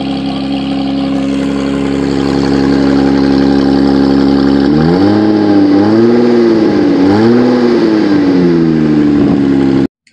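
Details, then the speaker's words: Loud, raspy, blatting exhaust at idle, swelling and dropping with each throttle blip; pipe broken at the resonator just after the catalytic converter, leaking exhaust before heat-wrap repair. "hello guys this is what it sounds like to have a broken uh pipe or uh cowlicked converter slash resonator okay"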